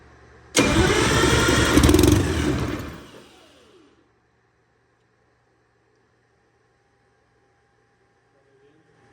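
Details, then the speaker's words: Detroit Diesel 6V92TA replacement engine for MCI 9 bus, first start after blower and governor repairs: short crank, then two-stroke runs strong and even before dying from fuel starvation (fuel pump off); slight startup smoke cleared instantly. "okay it runs okay that's enough for us to know that it's going to run it sounds good it smoked a little bit at startup but it cleared up almost instantly"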